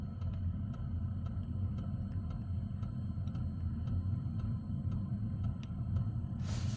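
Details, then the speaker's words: Newly installed Velpax diesel heater in a Ford Transit van, still in its heating phase: soft, evenly spaced ticks about twice a second over a low rumble from the diesel fuel pump; normal, quiet rhythmic tapping. "You can just hear the diesel pump ticking, and I've had a lot of people complain saying that it's too loud. It's very quiet tapping. It's like almost rhythmic."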